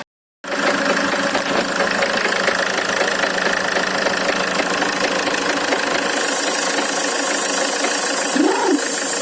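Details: Land Rover Freelander 2 diesel engine with a steady, fairly quick knock over its clatter; valves, rockers, injectors, compression and timing marks checked OK, no fault codes, cause unknown.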